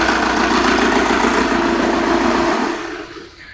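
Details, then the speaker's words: Diesel engine idling with exhaust pressure transducer in the tailpipe; number 4 injector disconnected to introduce a fault, giving an uneven, lumpy beat of about three to four pulses a second from the dead cylinder, clearly misfiring. "As you could hear there that was certainly misfiring"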